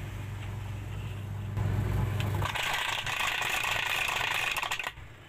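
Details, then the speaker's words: Polytron washing machine that won't wash: motor hums but pulsator stops when held, loud harsh rattling clatter as the wash drive slips under load. "tapi tidak bisa berputar saat kita pegang pulsatornya Suaranya berisik sekali"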